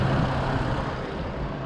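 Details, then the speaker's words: 2004 Chevy Trailblazer with P0128 code, before repair, warming idle around 800 rpm with coolant climbing past 208; heavy steady fan roar that won't ease off as the fan jumps to engine speed: failed fan clutch locked to engine rpm until cooled. "So once it warms up, you see now it's climbing 800 RPM. Obviously it won't go faster than engine RPM, and we're at about 800. So all of a sudden it's locked into max engine RPM, and it'll stay there until it cools down again."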